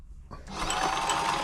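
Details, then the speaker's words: Frister & Rossmann 904 sewing machine in for service, run with needle removed: light regular ticking over the motor hum; tapping from lack of lubrication, not a bent needle, mechanism also partly seized. "right got the need so it's tapping that's down to lubrication so we'll get it all get it all lubed up"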